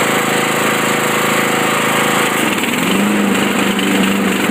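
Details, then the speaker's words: Craftsman 42-inch riding mower, runs normal until blade engaged; battery weak, needed a jump start. Rapid, uneven chatter and faltering beat under blade load, like missing cylinders. Cause suspected, not confirmed. "now it almost seems like it's missing cylinders or something so this is what it sounds like"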